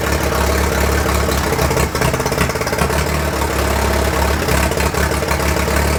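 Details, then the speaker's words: 1943 Case SC tractor first running after years sitting, after spark fix, a little throttle: uneven, lumpy, wavering chug; rough running, owner unsure if a miss or mixture, suspects fuel mixture, carburettor needs tuning. "I gave it a little bit of throttle and she stayed running sounds a little rough I'm not sure if I got a miss or if it's just fuel mixture my feeling is its fuel mixture"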